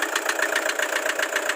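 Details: Toyota Hiace Commuter with 2KD diesel engine at idle: a sharp, even ticking knock about seven or eight times a second over a steady idle; diesel knocking, cause not yet found.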